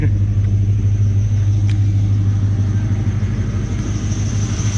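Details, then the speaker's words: LS1 V8-swapped Nissan Patrol idling after exhaust leak repair, now very quiet; thin constant high squeal remains, from an idler pulley bearing rather than the belt (spraying belt with oil didn't help); pulley to be changed. "don't know if the camera will tell but it is so quiet now it is so quiet all you can hear is a squeal"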